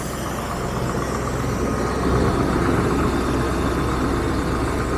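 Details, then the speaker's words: 1996 Range Rover P38 V8, sat for a while, bonnet open: fires right up and settles into a deep, smooth, even low burble with no knocks or misses; exhaust somewhat worn and patched. Normal idle. "Ooh, fired right up."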